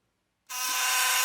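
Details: Philips Sonicare HX683B sonic toothbrush sent for repair: a harsh, loud, steady buzz, rattly and hissy, with the brush head loose and not cleaning. The cause is suspected, not confirmed.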